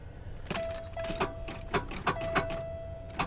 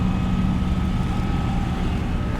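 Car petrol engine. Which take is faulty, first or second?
first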